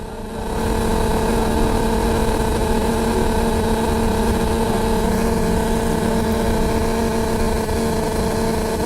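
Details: Upper deck of Bus 53 during the ride: a loud, unchanging low droning hum that never eases off; source can't be pinned down.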